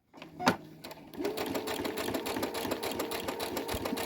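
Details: Brother CS-100 computerized sewing machine after repair (a new casing was fitted for thread catching and poor sewing): fast, even stitching over a steady motor whir with no catching or clunking. It now runs normally.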